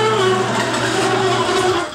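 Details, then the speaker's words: Garage door and opener, about 10 years without lubrication, before applying Royal Purple MaxFilm: loud rough rumble with steady motor drone throughout opening, fading at the end; noisy door travel, likely dry rollers and joints. "I'm getting real tired of listening to my garage door. It's getting quite loud."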